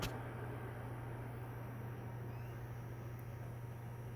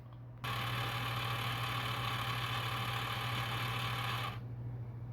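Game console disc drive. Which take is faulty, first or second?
second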